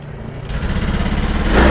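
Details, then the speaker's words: Honda Beat Pop scooter after fuel pump repair and ECU reset via DLC socket: starts and revs smoothly and climbs steadily with no stumbling. The earlier hesitation (brebet) is totally gone; the cause was low fuel pump pressure. "bisa lihat sendiri saat putaran gas di player-blayer ya gasnya diblair ini teman-teman bisa lihat sendiri tidak ada terjadi kendala brebet"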